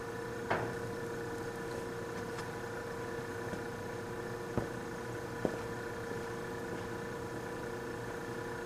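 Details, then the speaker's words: Vintage Westinghouse fridge compressor started in a cold room: a quiet, constant hum with a few light clicks, drawing 2.4 amps against a 3.2-amp nameplate rating; frost appears on a line; running smoothly. "2.4 amps and she's running doesn't even sound all that bad it's a 3.2 amps according to the nameplate"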